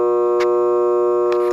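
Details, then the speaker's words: Furnace blower motor on an air conditioner not blowing air, capacitor tested good (5 µF): steady strong low buzz with no airflow once powered, wheel won't turn though it spins free unpowered; motor electrically locked up, replaced. "you can hear the motor in here buzzing and I'm trying to turn with lure wheels and it's not turning once power is placed on this motor so what's going on with this motor is it's electrically locked up"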